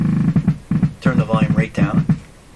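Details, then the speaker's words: Pye Model 39HC radio after a volume control replacement: low putt-putt bursts around 200 Hz in uneven groups with volume down; motorboating feedback, suspected where the volume control slider crosses the tap point, not confirmed. "that seems to me to have something to do with the slider and the volume control crossing the tap point and that that's where this feedback's coming in"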